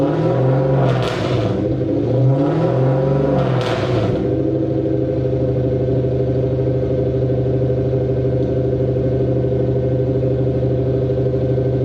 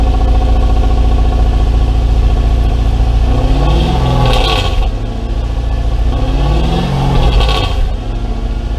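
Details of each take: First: Mercedes W203 C230 Kompressor sport coupe with swapped Lexus 3UZ-FE V8, old exhaust before replacement: a few sharp throttle blips, then a long heavy boom holding steady at revs; exhaust drone. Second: Mercedes W203 C230 Kompressor coupe with swapped Lexus 3UZ-FE V8, after new exhaust installed: deep, loud V8 burble swelling with two throttle blips, no drone or rattle; healthy exhaust note.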